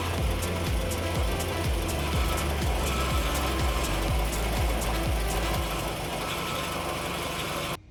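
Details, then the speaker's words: Honda Accord CB7/CB9 with swapped H22 Prelude engine, junkyard power steering pump, belt on: idle with steady rough pulse and faint high squeal from the pump, weak power assist. "i had the belt on there started the car up and it was making squealing sounds and not much effort for power steering"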